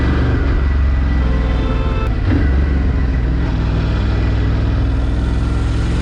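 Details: Ducati Scrambler 1100 (09/2018, Thailand-built) air-cooled twin idling and revving: uneven knocking runs through the low rumble; owner suspects piston slap, cause not confirmed.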